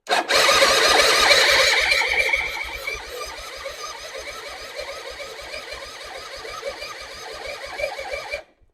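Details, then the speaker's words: Suzuki Intruder 250 LC motorcycle, non-runner that briefly started once: starter churns steadily about three and a half turns a second with no firing; owner suspects carburetor, maybe too much petrol, plans to clean carb; cause unconfirmed. "Okay. Didn't want to do it again. Okay. I don't understand why."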